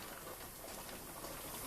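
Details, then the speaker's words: Pressure canner canning ground pork and chuck: faint continuous hiss with no sputter while venting under pressure, meaning burner heat still too high; flame turned down. "you could hear the hissing sound then that means that your your burner is still a little bit too high your heat's still a little too high"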